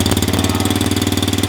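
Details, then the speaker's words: 50cc four-stroke kids' mini motocross bike idling after electric start: quick, even putter about fourteen firing pulses a second, steady and not very loud; normal healthy four-stroke idle. "Bunyi dia okey je, tak berapa nak kuat. Standard lah engine four stroke."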